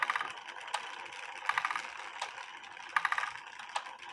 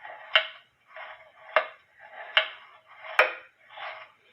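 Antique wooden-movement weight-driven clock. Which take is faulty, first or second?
second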